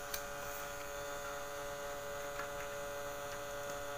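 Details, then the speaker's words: Polytron compo stereo with added Bluetooth module, smoothing electrolytic capacitor on the positive emitter output disconnected; constant loud low hum with steady buzz, noise returning until the capacitor is refitted; mains hum from missing filter capacitor. "harganya saya lepas Hai Perhatikan dan dengarkan Hai nah suara noise sangat keras muncul kembali"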